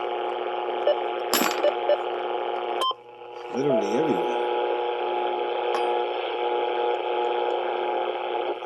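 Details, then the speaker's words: HF receiver with a steady hissy buzz and a constant tone across the dial, the same on every band, with a big spike seen; interference from an unknown source making HF useless. "right but here's the weird part look at this these are on september okay this noise"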